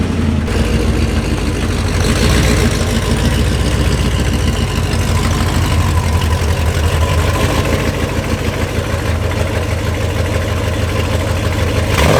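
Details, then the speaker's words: Neglected second-gen diesel truck with long-tube headers that are rotted and cracked, running and revving: a loud, rough low rumble with a raspy, puffing chuff. There is an exhaust manifold leak. "o as you guys can hear the exhaust on this truck is well it's less of an exhaust and more of just a big exhaust leak let me shut her down so you can hear me so her headers are rotted out the crack they've been on there for a long time"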